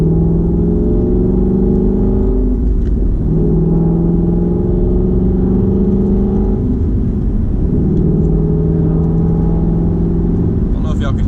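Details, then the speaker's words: Car with Barton Hybrid 3 shifter and GT350 shift knob, interior while driving: thin tone rising with road speed in each gear, dropping at shifts over exhaust drone; very slight mechanical transmission whine, owner thinks likely normal. "It's almost like a whine, kind of very slight whine."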